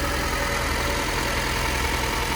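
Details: 1998 Honda Civic Type-R, 133,000 km, no timing belt change sticker: a steady, even idle with a smooth low hum, no ticking, belt chirp, hunting or smoke. It sounds stock, a normal idle.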